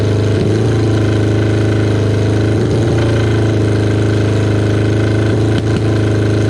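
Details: Kawasaki KZ550 idle, with cylinder one struggling only at idle after carburetor air screw adjustment. The loud four-cylinder idle stumbles and dips every couple of seconds. A split intake boot was then found as the likely cause.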